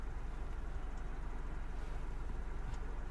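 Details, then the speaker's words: 2007 Mini One 1.4 N12 petrol after the repair for idle bouncing and error 2982, fully warm after about 15 minutes, intermittent airflow-meter codes still appearing: quiet, even low hum with no hunting or dips in speed; smooth idle with no surging. "So it's running smooth, it's not surging or anything like that."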